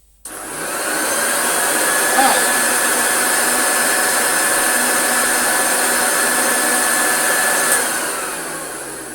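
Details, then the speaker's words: Hoover Junior 1354A Dirtsearcher upright vacuum motor run after finding its sloppy belt had ridden up on the pulley: steady even motor roar with faint whine, no knocking or grinding; motor healthy, noise was the belt. "Yeah, that's just a dodgy belt then, riding around, because it really isn't."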